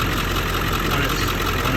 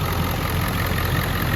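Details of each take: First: Ford 7.3 Powerstroke diesel at cold idle: steady but lumpy, uneven clatter; passenger-side exhaust ports show only one cylinder warming, three cold — misfire from three non-flowing injectors despite passing buzz test. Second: Ford 7.3 Powerstroke after replacing injectors that weren't flowing oil, with an oil change and a modification using hydraulic lines and a bank-to-bank crossover tube. Steady, even diesel idle with a deep regular clatter, no misses or knocks. Expected to smooth out further after driving.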